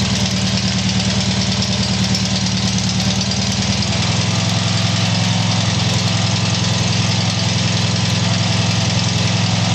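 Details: Tiger-1 engine after rebuild: steady low idle with an even pulse of about two beats a second, no clear knock or miss; normal idle.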